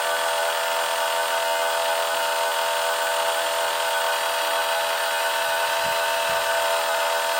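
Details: 2021 MG5 EV while rapid charging: a loud steady hissy drone with fixed whining tones from cooling fans and pump working hard, with a pipe too hot to touch. Loud cooling system drone.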